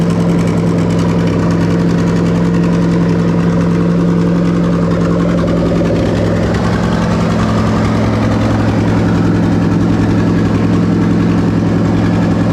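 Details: 2005-2007 Lexus GS430 3UZ-FE VVT-i V8 on a Link G4+ X-Treme ECU with a rebuilt plug-and-play harness for an IS200: smooth, even low rumble at idle with steady firing and clean throttle blips, showing normal idle.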